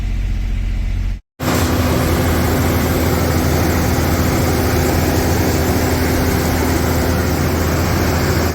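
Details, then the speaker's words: 1992 Toyota pickup, freshly rebuilt 3VZ 3.0 V6 on break-in oil, first start, held at 2,000 rpm by carburetor setting for 20-minute break-in: smooth constant fast idle, even hum, no ticks or knocks; healthy. "so 2,000 RPMs we're going to be doing this for 20 minutes to break in this motor and I got the carburetor set so we don't have to keep our foot on the pedal so we stay at 2,000 RPMs the whole"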